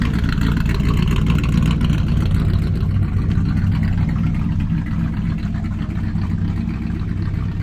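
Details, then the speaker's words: Carbureted V8 after valve adjustment with new valve cover gaskets, idle raised, not yet at operating temperature: loud deep lumpy burble, revs rising and falling under throttle; runs strong and even, sounds healthy. "it's going to be too loud i know but at least with the idle raised right now even from where we left off at this is already idling ways so the drive train definitely needed the valve train definitely needed that"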